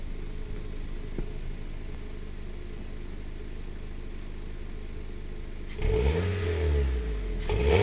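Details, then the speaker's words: Car with a welded open axle-back straight-pipe muffler delete, one leak already fixed: low uneven idle rumble and two quick revs with raspy puffing from a remaining small exhaust leak. "we fixed the leak right here but you guys can kind of hear the exhaust hissing out kind of sucks it's not a huge exhaust leak"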